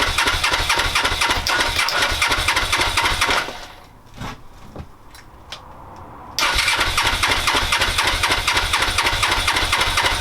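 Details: Suzuki GS500 first start attempt in five years, very cold start on choke with fuel primed: starter churns steadily at about four compression pulses a second, two long bursts with a pause, and it never catches.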